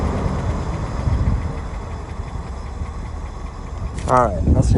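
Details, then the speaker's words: 1967 Lincoln at idle, heard at the tailpipes after exhaust leak repairs: soft even burble with no puffing or ticking from leaks; much quieter, exhaust sounds sealed. "we're doing back here okay yeah that sounds much quieter so I got these two plants here I don't hear any any leaking at all now"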